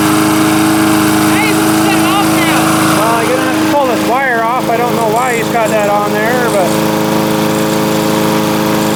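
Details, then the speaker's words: Lawn mower brought in as a no-start, now running: even single-cylinder putter at steady speed, some chirping over it, no misses; not loud despite a loose flopping muffler. Normal running. "surprisingly with that muffler flopping around it's not that loud seems like it's running good now though"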